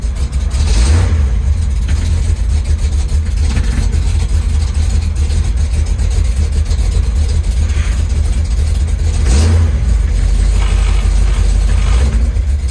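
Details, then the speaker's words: 1973 Chevy Nova V8 on a Street Demon 750 carburetor replacing EFI, cold start after sitting days: deep, loping idle that surges and stumbles unevenly, hard to start; owner says carb needs cold-start adjustment. "i gotta do some uh cold start adjustments it's kind of hard to start"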